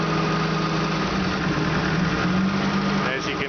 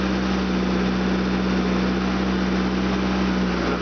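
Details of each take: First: Opel GT with fuel-injected 2.4 L CIH engine, warm idle, contact-cleaner spray test. Short spray hisses near the intake manifold gasket make the idle sag and nearly stall, confirming a manifold gasket vacuum leak to be fixed. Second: Fuel-injected 2.4 L CIH Opel GT petrol engine idles evenly with a steady low hum while contact cleaner is sprayed on hose connections; no speed dips or surges, so no vacuum leak at those spots.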